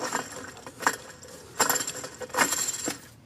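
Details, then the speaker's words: BMW E46 xi front wheel bearing turned by hand: irregular metallic clicks and gritty rasps, a worn bearing that should not sound like that. "no, it's not supposed to sound like that."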